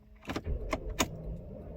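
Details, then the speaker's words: Non-running salvage 2006 Bentley Continental Flying Spur, start attempt on a cold day: only a few slow, labored starter turns, heavy thumps about a third of a second apart; weak cranking before it later starts. "let's try and start oh it's real weak but it's turning over maybe a couple times not much"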